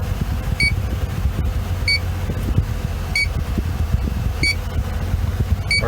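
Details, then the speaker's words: Sharp detector beeps about every 1.3 seconds over fan hum at the vent of a BMW R50 MINI, as the leak detector picks up a very slow refrigerant leak at the evaporator core or expansion valve. "and there's a very slow leak but if you just barely detected"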